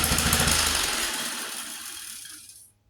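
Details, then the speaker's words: 1947 Whizzer Model H single-cylinder, just revived: quick even popping about three and a half beats a second, winding down smoothly to silence; normal running, idles poorly until warm. "As you see, it runs. It doesn't idle well until it warms up, but it's pretty cool that it runs, just regardless."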